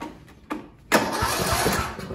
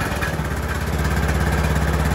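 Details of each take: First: Sears Craftsman tractor with a Briggs & Stratton single-cylinder OHV engine, 12.09 V battery: short cranks, then a longer pulsing crank that never catches; crank-but-no-start, later traced to a fouled spark plug. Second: Craftsman (Sears) tractor single-cylinder engine after replacing a carbon-fouled plug with a new NGK CS6: fires up, settles into a steady, even thump about three beats a second, then shuts down cleanly; running fine.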